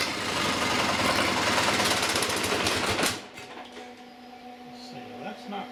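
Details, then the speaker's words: Long-stored Onan diesel generator hard starting and stalling: rough clatter about 220 beats a minute for three seconds, then cuts to a faint hum; owner thinks the injector pump wasn't delivering enough to the injectors. "that's why I wasn't getting much out of these injectors because the pump wasn't enough"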